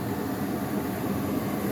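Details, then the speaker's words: Goodman furnace starting up with a smooth, steady roar of air and burner and none of the popping heard before; a normal, healthy startup. "There's the startup. I don't hear that thing popping anymore,"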